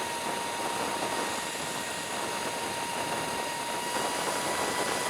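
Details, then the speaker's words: Sur Ron Light Bee electric bike fitted with QS165 motor on NXT tuner, cruising at 40 mph near the power limiter: loud thin whine over wind and tyre noise, much quieter at 30 mph; motor or sprocket source unclear. "Let's see if we can do 40. That's 40 miles an hour. Man, it is hell loud at 40 miles an hour."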